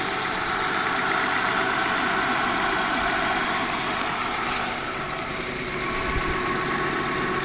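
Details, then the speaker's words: Honda van, test drive after water pump and timing belt replacement; temperature gauge under half on a hilly, bumpy road. Even, steady engine note with a smooth regular beat over road rumble, no knock or miss; normal running. "I'm driving along here. The temperature gauge isn't even halfway up the scale. And I'm driving on a really hilly road, and it's bumpy."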